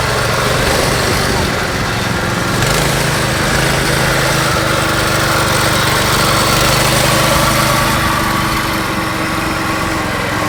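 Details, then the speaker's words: Yerf Dog go-kart with a Predator 212 engine and stage 1 kit, replacing the stock Tecumseh, gearing unchanged, under load: steady buzz rising slightly then holding evenly; quieter, smoother, faster than before, healthy. "it's faster and so far now that we got the predator on there it's kind of quieter it seems smoother the acceleration is much better"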